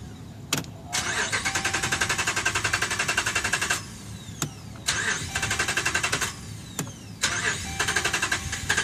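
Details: 2011 Dodge Ram, about 75K miles: repeated few-second starter cranking bursts, steady whirr, engine never catches; crank no start, dealer found defective TIPM (Totally Integrated Power Module), replaced under warranty.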